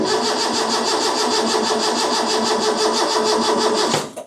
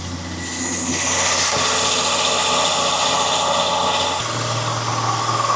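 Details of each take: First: Freshly rebuilt Ford 300 inline-six in an '84 F150, first start attempt after rebuild with new carb: starter turns it over steadily, slow, about three beats a second, never fires; cranks but won't start, no spark found. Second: Freshly rebuilt 300 inline-six in a 1984 F150, just fired on first start for cam break-in: the engine settles into a steady, even drone with no knocks or misses. Normal fast idle.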